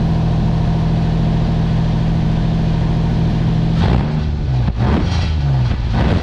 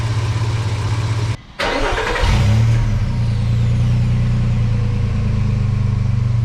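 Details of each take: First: 2007 Nissan Xterra 4WD with about 209,000 miles idling and revving with a deep, loud droning, raw raspy rumble; a previous owner cut the exhaust pipe to make it louder. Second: Truck after replacing the leaking cat-back exhaust (sealant cured a week, second coat): engine catches, blips, settles to a deep, even rumble with no ticking, puffing or rattle; exhaust sealed, normal exhaust.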